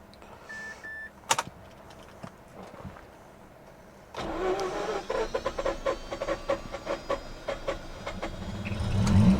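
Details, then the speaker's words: Mazda RX8 bought at auction, cranking after a pause to let the starter motor recover: quiet clicks then sluggish uneven cranking of two or three turns a second before catching with a little throttle; started better days earlier, cause unconfirmed. "Now, I did try it the other day and it started up okay. It started better than this the other day. All right, we'll give the starter motor a bit of time to recover."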